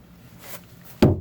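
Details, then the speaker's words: 40 ft Concord boat during engine mount replacement, mount timber struck: two heavy dead thuds with no ring; soft rotten wood under the engine, nothing solid coming out. "this is all crap. Basically, that's it. Like nothing coming out of there."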